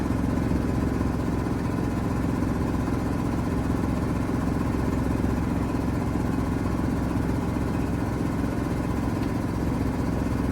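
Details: 1973 Mack FR711 with 250C diesel, injectors 3–6 cracked loose for bleeding: steady, even cranking at about three beats a second that never catches. The pump seems not to be building pressure. Crank no-start from air in the fuel system.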